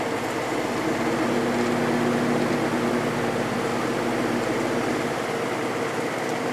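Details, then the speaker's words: Vintage GE 3-speed window fan F11W3 after a glue fix and curing over 24 hours, run on high then medium: a smooth, even, quiet hum with soft airflow and no rattle. It is running normally. "Improvement run on medium see how it does on that speed this thing is so quiet that is awesome"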